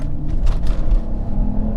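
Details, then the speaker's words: Mercedes S600 W221, M275 V12 bi-turbo, full-throttle run to 70 mph after replacing the leaking intercooler Y coupler: deep even rumble pulling hard, no hiss or whoosh of escaping air; boost holds, leak gone. "Oh yeah, she's making boost. Yeah, she's flying. It's already 70 miles an hour, just like that."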